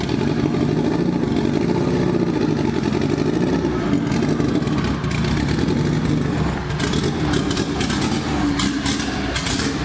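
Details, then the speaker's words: Honda EK Civic with a B18 LS VTEC, driven home with the cylinder 3 injector unplugged: lumpy, uneven running with a missing beat as it drives and revs, a dead cylinder from a cracked sleeve later confirmed at teardown. "so as you can hear the car was not running very well one of the things I did before I drove it home is I unplugged the injector on cylinder number three so that it wasn't firing on that cylinder and not making that hole any worse than it already was"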